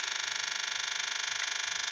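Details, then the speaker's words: 2009 Kawasaki Ninja 650 that won't start, with only a relay click on the starter: a steady high buzzing pulse at key-on, the throttle body self-test, runs about two seconds, longer than before the throttle body was pulled off. "I think that noise is slightly different to what it was before. It was much shorter than that before I took this bloody thing off."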